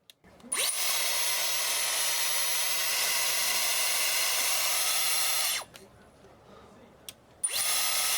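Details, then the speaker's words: Dyson Airwrap that cut out after about 5 minutes with an odd pitch, after clearing a carpet of fluff from the motor inlet. Steady, even high-pitched air rush with no rattle or surging, much quieter, stops and restarts cleanly. "I can't believe it's like that. I'm covering that. That is so much quieter. So yeah, I'm 100% sure that you can all hear the difference, the before and the after."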